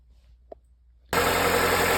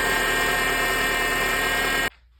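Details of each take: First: 2006 Honda Accord after replacing the power steering pump intake and outlet O-rings (10 mm bolts, about 11 Nm): quiet start then steady even idle with no whine or grinding; noise gone. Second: 2006 Honda Accord, engine running: steady, high whine with gritty edge, louder when turning the steering wheel, from the power steering pump; fixed by changing pump O-rings.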